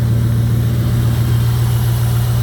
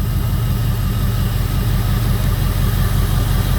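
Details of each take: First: 2002 Jeep Grand Cherokee 4.7 HO V8 with coil melting/misfire problem, just started after clearing codes: smooth, even low idle, steady deep drone, no misses; all eight firing, though owner says coil 3 drops out after a few minutes. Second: 2002 Jeep Grand Cherokee 4.7 HO with a coil-melting misfire problem: after coil 3 was unplugged and plugged back in, a rough, uneven idle with a lumpy low thump dropping out; still misfiring.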